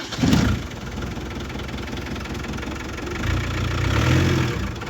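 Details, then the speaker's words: Land Rover Defender after an alternator replacement with a rewired field wire, battery only partly charged; engine catches and settles into a steady, even low idle with no misses or knocks, slight whine noted: normal idle. "And everything seems to be running pretty true."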